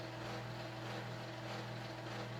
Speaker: loud and you can clearly see and hear though why this is definitely not something that anybody in their right mind would have kept hanging or used because it sounds horrific this is even worse than you thought the friction drives were bad this is worse than